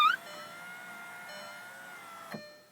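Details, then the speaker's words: 2001 Audi TT MK1 power window after un-jamming and lubricating motor/regulator, door panel off: steady motor whine with faint scraping as glass rises, thunk at top; works but track noisy, silicone lubrication of track planned. "so that sounds pretty good actually it doesn't sound all that good so I'm going to also lubricate while I got the door panel open that track get some silicone in the whole track get rid of that noise"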